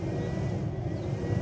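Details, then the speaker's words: Pellet grill (Exit Outdoors Fire N' Go) combustion fan surging with a steady low whir to rebuild the fire after the lid was opened and temperature fell to about 150°F, auger feeding pellets; normal operation, about 80°F outside. "And you can hear the fan is surging to build the fire back up, and you can see that little auger is coming back on to feed some pellets in there to build the fire."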